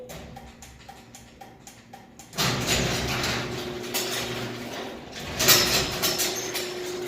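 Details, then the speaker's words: Garage door opener clicks, motor runs with a steady rumble, then a jolt partway down as the door reverses back up and won't fully close; cause is dirty safety-sensor lenses. "the door will start to go down and then it'll actually push back up so I won't completely close"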